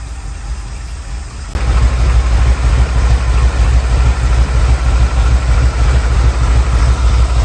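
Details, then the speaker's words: 1979 Ford Bronco, 351M V8, first start after troubleshooting fuel, spark and carb: catches after a second, then a low idle that wavers and lopes unevenly. Rough idle, needs fine-tuning. "Rough idle, need to fine tune that. But she lives. Super freaking excited."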